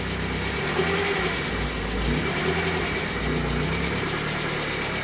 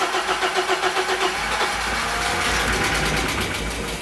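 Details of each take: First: Barn-find 1980s fuel-injected BMW E30 M Sport, not run for ages, first run with fuel pressure supplied around the dead fuel pump: smooth, even idle with light valvetrain chatter, no misses or knocks; sounds happy. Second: 1980s BMW E30 M Sport homologation car, parked for years and being test-started. The starter cranks steadily at about four turns a second and the engine nearly catches, then dies back: the fuel pump is dead (kaput).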